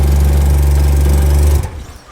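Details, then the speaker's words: Mazda Cosmo rotary, a rare JDM car, in low gear: loud deep steady engine note suddenly cuts out after about 1.5 seconds when given gas. Cause suspected, not confirmed; boost solenoids to be addressed next. "yeah, but when you give it gas, it dies."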